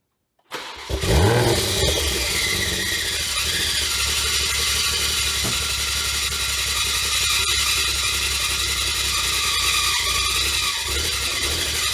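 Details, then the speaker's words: Rebuilt wrecked 2021 Toyota GR Supra, first start with aFe cat-back exhaust, catless downpipe, exhaust flap open: engine fires and idles under a constant harsh metallic screech from the front of the engine; starter gear grinding on flex plate, quieter after starter repositioned. "By the way, exhaust sounds pretty good if you get over the fact that there's a screeching metal grinding noise on the front of the engine, but all right."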